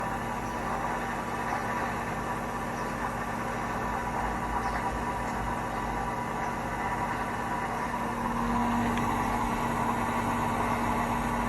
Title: Hotpoint 1000 rpm with bad bearings